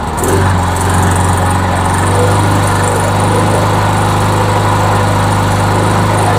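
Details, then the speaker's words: MTD Yard Machines lawnmower with a Briggs engine, after a head gasket replacement (carburetor and gas tank were changed earlier): a small single-cylinder engine holds a steady, even drone with no misses and runs well; later it hiccups now and then. "oh yeah it's running well it's actually running well let's give it a minute"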